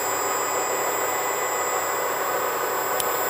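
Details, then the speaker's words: 2009 Mini Cooper Clubman electric conversion at first wheelspin with the wheels unloaded: a steady, even whine over a constant hiss, holding RPM smoothly with no knocks or grinding. A slight high-pitch squeal was noticed earlier; the tires may be unbalanced. "it looks like it's running pretty smooth to me it's it's holding nice nice RPM it's smooth"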